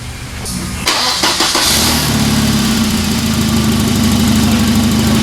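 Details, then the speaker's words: 1994 Volvo 940 Turbo wagon, B230FT inline-four turbo, 210,000+ miles: cranks, catches and settles to steady idle with a faint, uneven puffing tick, an exhaust leak at the turbo also heard and smelled in the cabin. "turbo area not a real big surprise there we could actually hear it smell it a little bit in the cabin"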